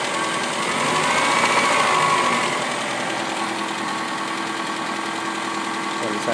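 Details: 1997 Saturn SC2 on a cold start after sitting, running rougher than before: steady quick tap about four times a second at idle. Knock began after the first high-RPM run; cause unknown.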